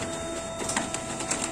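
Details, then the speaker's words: Canon iR copier (iR 4570/2870/3045 family) running with a steady whine and irregular scraping clicks, like a broken laser, traced to the drum unit not rotating; copies come out blank white. "आगे देखो, यह पता चला है कि यह ध्वनि ड्रम इकाई से आती है जो घूर्णन नहीं कर रही है"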